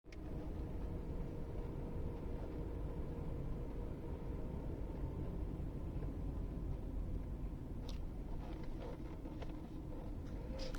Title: Mercedes W124 M111 rough idle